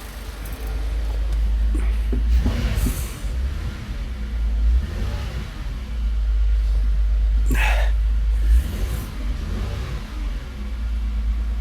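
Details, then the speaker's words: Toyota Avalon, fuel pressure 43–44 psi, warming up: deep uneven lumpy idle with surges when revved; still misfiring from water in injectors and spark plugs, expected to clear when warm and dry. "Hindi pa yan titining pag mainit. Pag naubos na yung tubig sa injector. Pag natuyo na saka doun sa spark plug."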